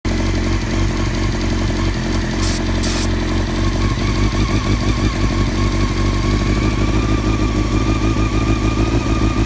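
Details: 1999 Honda CBR600 F4 four-cylinder idling unevenly, stumbling and hunting despite rebuilt carbs, new intake boots and balancing lines; owner suspects a vacuum leak somewhere, not yet found.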